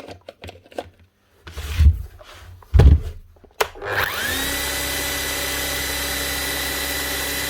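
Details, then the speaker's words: Bosch GSH 11 E 240 V demolition hammer after fitting an aftermarket copy armature: after handling clatter the motor spins up to a steady, even, smooth whine with no rattle; running healthy like a new machine. "Sounds perfect. Nothing wrong with that at all. Sounds like a brand new machine. Actually does sound very smooth."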